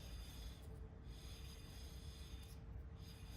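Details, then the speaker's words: Spin test after rear wheel bearing replacement on a 2006-2012 Ford Fusion 2WD, caliper and pads reinstalled: quiet soft swishing rub rising and fading once per turn, rotor touching pad faces, no screech or grinding; normal, bearing fine. "That's perfectly fine. That is the rotor touching the face of the pads. That's how they all sound. That's what you want to hear, okay? Should be no screeching noises at all."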